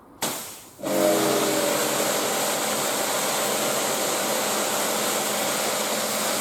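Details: Karcher K4/K5 pressure washer that would not turn on, fixed by purging the air with water flow before powering up: steady, even hiss of water jetting out with no surging or stopping; now running normally.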